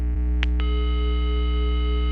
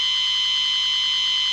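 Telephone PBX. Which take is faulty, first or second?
second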